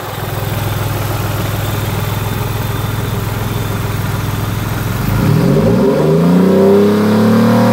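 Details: Ford Mondeo ST220 V6, down on power with random misfire on banks 1, 2 and 3, won't rev past 5k and worse under load: lumpy idle, then a sluggish rev that flattens out, blamed on a blocked rear catalytic converter.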